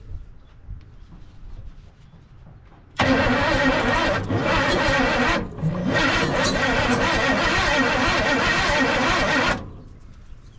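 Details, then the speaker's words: 1968 Chevy C10 small-block V8, seized engine freed after sitting since 1996, fuel poured into intake: about six seconds of cranking with uneven attempts to catch but no start; owner suspects timing off, plug wires misrouted. "Well, she kind of seems like she wants to fire. Almost seems like our timing's off a little bit."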